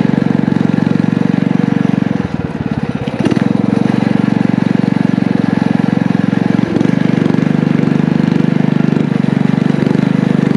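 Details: Small single-cylinder power-washer engine with muffler on a DIY motorized trike, torque converter clutch, ridden under load: loud steady drone holding pitch with one brief dip; pulls strong, running well.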